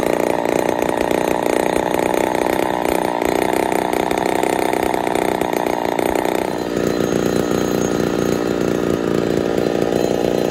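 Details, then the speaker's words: Ported Poulan 245A chainsaw, first start: screaming steady high revs with thin, hard, starving edge; running a little lean at idle or on the low jet, needs tuning. "still need to do some tuning but uh she's a little lean you hear it starving just a touch that's all right though there she is haha perfect sign of being a little lean hat idle or on the low jet"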